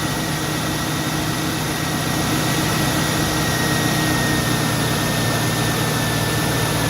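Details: 2002 Mustang GT after radiator fan replacement (Dorman 620-139), idling with AC on: steady whooshing fan roar with a faint constant whistle, no clatter or rubbing; earlier cracked-fan-blade noise gone, fan normal.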